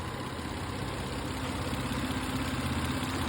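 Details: Toyota Avalon V6 started by remote start, with two-year-old Toyota ATF and clear brake fluid. A steady, even idle hum with a smooth low pulse and no ticks, knocks or whine; a healthy engine at rest.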